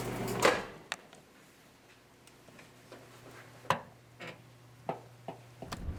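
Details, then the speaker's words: Pop-Tart foil wrapper in a running microwave oven: irregular sharp snaps and crackles, a few per second, over the oven's low steady hum as the metal foil arcs. "Let's start with something you've probably been warned not to do, putting something metal in the microwave. In this case, it's a Pop-Tart wrapper."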